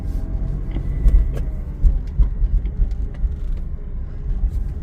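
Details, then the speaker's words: 1997 BMW E36 328i, converted from automatic to 5-speed manual, running: heavy irregular knocking and clunks with the rear subframe visibly bouncing; owner suspects badly worn mounting points; engine knocking. "oh it's knocking a lot now we can hear let me go to the back you can hear how it's bouncing this is uh the rear sub frame"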